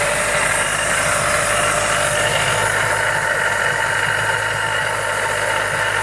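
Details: Mazda Miata with Jackson Racing M45 supercharger at steady idle with a constant high whirring whine over the engine; abnormal blower whine, bad bearings suspected.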